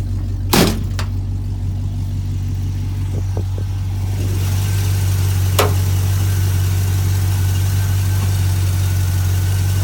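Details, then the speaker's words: 1976 International Harvester Scout II with factory V8, cold start; sharp crank and catch, then steady, even low V8 idle rumble with no knocks or misses, good exhaust sound; normal cold start and idle. "I'm gonna go ahead and start it for your guys let you hear it run and then I'll show you the engine compartment with the engine running exhausting pretty good sound to it"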